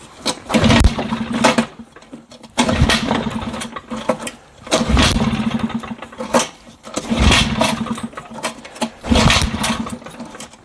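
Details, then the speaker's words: 1960s Mercury 3.9 outboard after water pump impeller replacement: short bursts of running every couple of seconds, each fading within a second; fires but won't hold idle and stalls, cause not yet known. "here she just doesn't want to continue looks like I got lucky on the first shot because clearly she doesn't want to continue"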